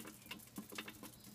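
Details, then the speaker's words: Steam water distiller during vinegar descaling, machine shaken while boiling: irregular sharp pops and ticks, about four a second, from calcium scale crystals in the boiling chamber; owner warns the scale will ruin the machine. "if you can hear it popping okay so do the shake like that and of course uh if you're looking there and you got calcium you want to get it out because like I said you'll ruin your machine"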